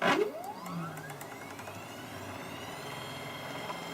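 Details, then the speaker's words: MDF CNC router X-axis stepper on a new controller and higher-voltage supply, max feed about 70 inches per minute: tone sweeps up then holds a steady whine with no stalling; runs cleanly, stalls only above that rate. "okay so i did a little testing on the x-axis and it's a little bit slower uh max feed rate it's about 70 inches per minute but that's still plenty and more and i'll use certainly so i'll just give you a quick demo of that"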